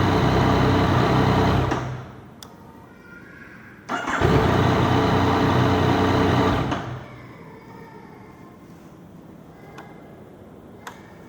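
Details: Yamaha MT-09 hard to start hot after a 30-minute ride; two long starter runs of about two and four seconds and the engine never fires; hot hard start with prolonged cranking.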